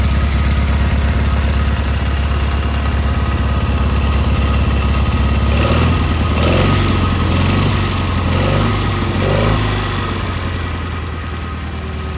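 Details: Cub Cadet Cyclops Kohler 18 engine after the head was replaced for a badly blown head gasket, started with a battery pack wired straight to the starter. It gives a steady, even low thrum of about 3–4 pulses a second with no knocks or misses: a clean idle.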